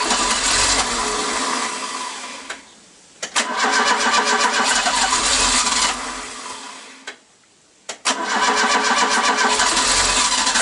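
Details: Mk3 Ford Cortina Estate carburetted petrol engine that kept cutting out after a drive. It is tested after the carb screws were reset and idles a bit unevenly, with two brief dips where it nearly dies before recovering. The uneven idle means the mixture is still unsettled.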